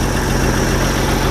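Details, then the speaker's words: Jeep CJ 258 4.2L with aftermarket carburetor, started after sitting a month (owner suspects fuel draining back to tank), on choke: steady, even low rumble with smooth unchanging beat; normal idle. "once it started it actually idles really good the choke stayed on it's good"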